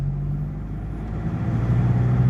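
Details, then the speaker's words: Nissan ZD30 3.0 diesel after repair of failed electronic box on back of injection pump (was no-start), road test revving: deep rumble climbs smoothly with revs, no stumble or hesitation, pulls immediately on throttle; normal acceleration. "เราทำการลากรอบกันเลยนะครับนี่ลากรอบกันเลยนะครับนตากันเร่งก็พุ่งมาทันทีนะครับ"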